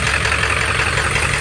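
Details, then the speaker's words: Ford OBS F250 Powerstroke diesel, about 350,000 miles, just after lift pump replacement: clattery, loping, uneven idle; rough idle, owner suspects air still in the fuel system or worn compression. "i might not have all the air out of it or i don't know but it runs uh it just runs a little rough at idle"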